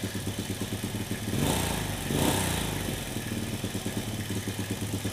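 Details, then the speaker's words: Single-cylinder carbureted motorcycle fouling spark plugs black, mixture screw out about 2 to 3 turns: dull, lazy idle swelling and sagging without crisp pickup or scream; cheap carburetor still running too rich. "Tambahin lagi 2 putaran. suaranya masih kayak suara mesin keborosan ya, deret kayak gitu, belum teriak ya."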